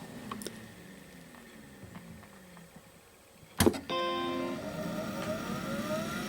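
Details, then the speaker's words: Macintosh SE/30 hard drive: faint ticks, then a sharp clack and rising whine as the heads try to leave the parked position, stick to the platter surface, and the drive instantly shuts down. "What you're hearing is the heads attempting to move on the platter, or move from the parked position, and once they do, they come into contact with the disk surface, and the drive instantly shuts down."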